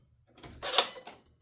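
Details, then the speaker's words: Ford Ranger with a Gen 3 Coyote V8 swap that gets no throttle when the ECU is bolted in place. At key-on, with the mic under the hood, a quiet hiss and short whir is heard: a normal throttle-body self-test sweep. "I'm going to turn my key on, and I'm not sure if you'll be able to hear it, but I'll get that as close as I can to under the hood here. And you're going to hear the throttle body"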